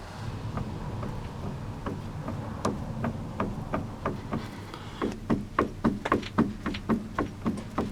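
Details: VAZ 2106 front steering idler arm on the right side, jerked up and down by hand: sharp hollow clunks in quick bursts, three or four a second. Worn idler arm; needs replacing or a rebuild kit.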